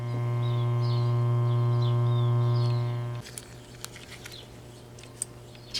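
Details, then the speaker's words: Philco 38-8 vintage tube radio being restored: 470 kHz modulated IF signal injected into the IF tube grid cap through a 68 pF capacitor, heard through the speaker as steady low hum with a clear constant tone for three seconds, then cut out. "So what I'm going to do, I'm going to try driving 470 IF right into the grid cap of the IF here, modulated through a 68 picofarad capacitor."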